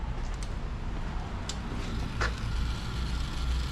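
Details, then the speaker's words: 2004 Chevy Silverado with a no-start complaint, new fuel pump run by jumping relay terminal 87, reading 58 psi. Steady low pump hum with no surging or grinding; normal, healthy fuel pump whine. "Pump is sounding really nice. All right, I think we got her."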